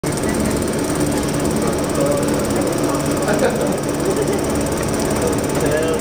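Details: Ducted propeller in a cavitation test facility, strobe tuned to propeller rpm: loud continuous hissing roar with fine crackle under a steady drone, propeller cavitation.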